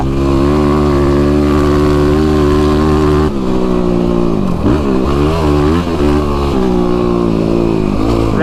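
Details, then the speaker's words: YFZ ATV running a tuned Vortex ECU instead of the flashed stock ECU, under load across rough ground: a strong, even single-cylinder roar rising and dipping with the throttle, no stumbling or cutting out. Engine pull is normal and linear. "That's very linear, very straight."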